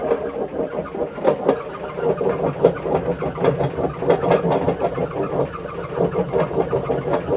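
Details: Bush WMDF612 washing machine: a rough, pulsing rumble with rattly clatter on each drum turn from badly worn drum bearings; judged not worth fixing.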